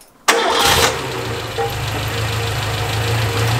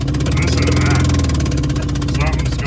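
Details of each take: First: Renault 5, fired up after repairing a fault that caused a loud bang and power loss: catches on the first turn and settles into a steady, even idle with no misfire or stumble; normal start after the simple fix. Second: Renault 5 driving under load after a very loud bang and major power loss; sharp rapid chuffing puff on every firing stroke, owner suspects the spark plug was blown out of the head.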